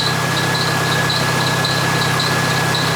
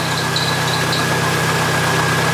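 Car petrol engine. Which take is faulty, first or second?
first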